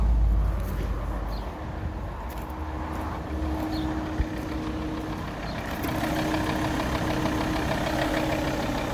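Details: Alfa Romeo 159 2.4, heard at the right side: steady idle with a fast, fairly regular light knock, around three per second, louder on the right side; engine knocking, source not yet pinned down.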